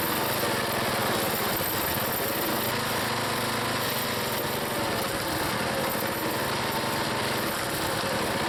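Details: Small single-cylinder log splitter engine on a cold day, Seafoam added, splitting firewood: steady governed speed with a clean, even beat and no misses; it is healthy.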